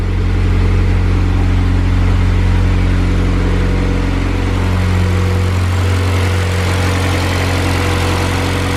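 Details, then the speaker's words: eBay turbo Honda Civic with a newly welded O2 sensor bung, being prepped for the dyno: a steady, even idle, slightly high while still warming up, with no fuel leaks. This is a normal warm-up fast idle. "idling a little high while it's warming up still we ain't got no fuel leaks down there or nothing"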